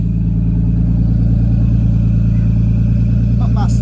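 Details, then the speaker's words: R33 Skyline, fully forged engine over 2000 miles, cold start right after oil change from break-in to fully synthetic 5W-40 with new filter: steady deep even loud idle, no knocks or ticks; normal cold start idle. "anyway while you whil we got the car running that's this is a cold start"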